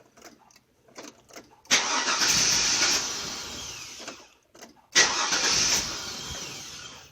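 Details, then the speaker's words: 2002 Chevy Avalanche 2500 cranks steadily but won't catch; gauge shows fuel pressure rising to 40 then slowly sinking to zero, relays swapped, pump powered but suspected high internal resistance; weak fuel pump. "well I'll tell you what I saw fuel pressure go up to 40 and slowly slowly start to sin to zero so I'm losing fuel pressure"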